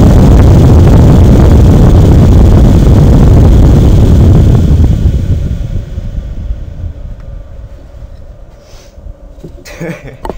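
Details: AMD Radeon HD 6950 2GB graphics card blower fan at 100%, mic 1-2 inches from exhaust: loud steady whooshing air rush, about 2400 rpm, then eases off; normal fan at full speed.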